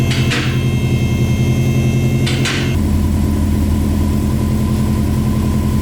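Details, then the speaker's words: Subaru 2.5RS with a WRX turbo swap and a newly built custom exhaust: steady low rumbling idle with even pulses after a couple of clanks. Exhaust sounds sealed, though a leak at the turbo manifold is suspected. "very quiet but I like it because when I'm driving this thing around you can hear the turbo noise and all to all the other noises that this car makes"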